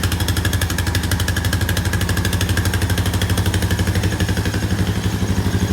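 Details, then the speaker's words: 2001 Honda Foreman ES 450 ATV, 3,380 on the odometer, sat a while, started on full choke: even single-cylinder thump about four beats a second, steady with no misses or knocks; healthy idle. "Oh, well, it's a Honda, isn't it? I knew it would run. These Hondas are pretty tough. That sounds good."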